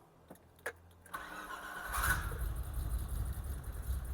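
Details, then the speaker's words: BMW E30 325i cabrio (M20) with a cam, very rich running: first startup cranks, catches, then settles into an uneven lumpy stumbling idle that clears when driven; owner suspects fueling, rich low down. "So she's very rough on the first startup."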